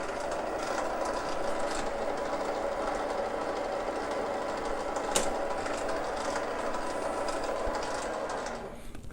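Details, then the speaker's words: Little Machine Shop 7350 7x16 mini lathe, half-horsepower brushless motor, cover off, lead screw engaged. A loud, busy gear whir and chatter over a steady motor hum, much louder than the spindle alone. Normal gear train noise. "You can hear them gears now. Hear how much noise it makes now with the lead screw engaged."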